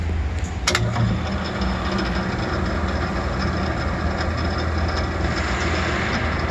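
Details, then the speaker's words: Rebuilt 500H Sigma blade mixer with refinished blades and all new electrical, running: steady, even low hum with no knocks, grinding or rattles; runs quietly and smoothly. "All pretty quiet, isn't it? Very nice."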